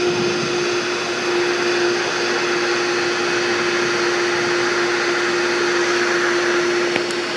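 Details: Loud pool pump running with a steady mid-pitched motor drone and rushing hiss; owner says such noise can mean a failing shaft seal or bearings/bushings, and running dry can crack the seal, so keep it primed.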